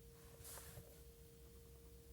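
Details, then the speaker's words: Škoda Citigo e iV electric car, stationary before driving: faint, steady high howl around 290 Hz in a quiet cabin from the electric pump circulating coolant through motor and electronics; normal, also audible while charging. "you hear that howling? - Yes, sure. It's on 290 Hz and it is supposed to come from the pump circulating a coolant thru the motor and electronics"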